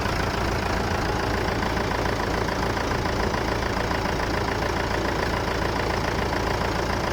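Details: Massey Ferguson 290 tractor diesel started after engine repair; steady, even clatter at low idle with no speed hunting or stray knocks; normal idle.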